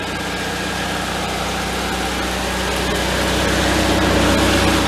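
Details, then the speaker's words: 1974 VW Thing, air-cooled engine running in third gear for about a minute before a gearbox oil change: even, steady drone with no whine or growl; transaxle sounds quiet and healthy. "it's pretty quiet I don't hear it any whining out of the pants in third gear"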